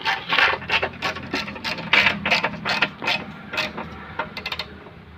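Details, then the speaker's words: Maruti Suzuki Wagon R old steering box removed from the car, turned by hand: gritty crunch-click about three times a second, the "crack" sound heard while steering; worn, rusted pinion bearing, box replaced with a new one. "ഇതാണ് ഇതിൻ്റെ പഴയ steering box, നമ്മൾ അഴിച്ചെടുത്ത steering box. ഇതിനാണ് ഈ ക്രക്ക് എന്നുള്ളൊരു sound കേൾക്കുന്നത്."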